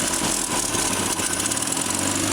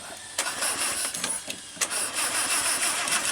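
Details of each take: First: Land Rover Series 2 farm find, sat several years in a paddock, first start: steady, even idle with a soft regular beat, no knocks, ticks, misses or smoke; carburetor likely needs a kit. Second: Land Rover Series 2 that sat for several years in a paddock, possibly flooded, with suspected fuel tank issues. Repeated uneven cranking and chuffs before it catches; a hard, slow start, then it idles with no smoke.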